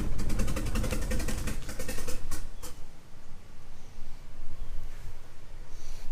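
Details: 1997 Mitsubishi Eclipse GSX 6-bolt swap, first start attempt on a jump pack: starter churns steadily about two and a half seconds without catching, then quits; crank-no-start traced to cam angle sensor wiring, later rewired.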